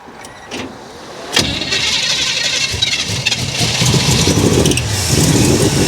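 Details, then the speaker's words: Car that had sat unused, started cold at a car show: it catches after cranking and runs rough and uneven at a fast idle while flooding. The carburetor float is stuck, and revving and driving it freed the float. "Well, cars that sit. So, the float clearly stuck on that thing."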